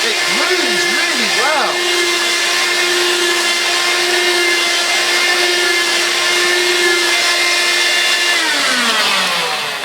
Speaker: really feel it picking up the pile in the carpet so there we go